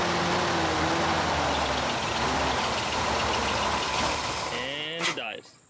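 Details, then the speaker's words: 1975 Chevrolet Corvette Stingray carbureted V8 with Edelbrock carb, long sitting; fires and idles unevenly with no gas then sags and dies; only stays running with throttle. Won't hold idle; vacuum lines to be checked. "so that's with him giving a gas we could keep it running but as soon as he let go of that gas pedal just wants to die"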